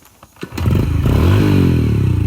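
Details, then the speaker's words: Dirt bike that sat for years, carb reassembled without the needle spring (slight needle play): it kicks over, catches and revs crisp and clean, then settles into a steady crackle, idling perfectly. A normal start and rev. "oh my goodness she sounds like she rips idle and perfect"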